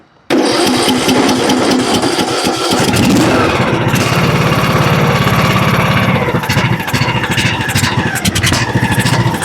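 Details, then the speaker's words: John Deere LA105 riding mower that ran only on choke, after the Nikki carburetor was replaced with a Walbro; it fires up and settles into a slow, lumpy idle because idle speed is set too low, then is turned up. "idle down a little bit too low."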